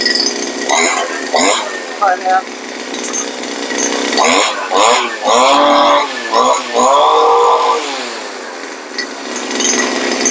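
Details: Two-stroke brush cutter, high buzzing revs while the blade lags, turning slowly with a slipping, grinding gear-head sound; drive shaft not engaging the gear-head gear, gear head pulled back; fixed by clamping the gear head tight.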